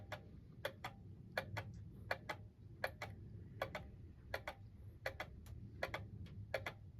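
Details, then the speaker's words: Antique German alarm clock (c. 1898–1902, maker unknown) run without the pendulum: light uneven paired ticks about eighty a minute, then the escapement stops after 15–20 seconds instead of running down; cause unknown, full strip-down planned. "the other thing that I've have discovered unfortunately is that when I try to run it without the pendulum instead of one winding all the way down now it stops again after about maybe 15 or 20 seconds"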